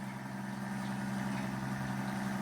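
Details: Rebuilt 90-year-old Gilbarco Model 80 (GMB 80) gas pump running on diesel, variator wheels turning with the faceplate off: quiet, steady low hum with an even tone, no knock or grind; it runs quite smoothly after 90 years.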